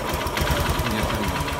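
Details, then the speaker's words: Honda Verza motorcycle after repair of scored piston and oil-passage cleaning: engine idles fairly smoothly, like stock, with a light quick tik-tik from the injector, common on Verza and not a problem; normal injector ticking. "mesin lumayan halus cukup halus bagi saya seperti bawaan motor aslinya ya masih bunyi cuma ini suara mythic suara tik tik tik itu ada bagian injektornya ini injektor"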